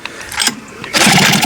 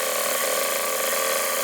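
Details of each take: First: Hankai 6.0 outboard, 2020, two seasons' use, owner had removed and cleaned the carb. Pull-starts give only weak sneezing pops through the carb that never build to running. Reed petals look intact but a mechanical fault is suspected. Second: 2020 Hangkai 6.0 two-stroke outboard, two seasons of use, was sneezing into carburetor with no power; after replacing broken reed petal and defective seal, test run on remote tank: fires up, steady high buzz, slight rev dips; normal running.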